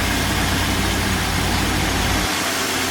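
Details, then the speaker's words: 2016 Ford F-150 3.5 V6, once called locked up, just after its first start while burning off fluid in the cylinders: steady, even idle with a smooth low hum, no knocks or ticks; normal idle. "But like I say, it does run. That's one thing about it."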